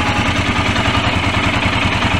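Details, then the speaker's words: Royal Enfield at 2,000 km that was hard to start, idling after an oil change: steady, even single-cylinder thump with no knocks or rattles, smoother and quieter than before the change; sounds healthy. "Perhatikan ya suara mesinnya ya before tadi Seperti apa dan afternya ini setelah kita ganti oli Royal enfield [Musik] ya suaranya lebih smooth lebih halus"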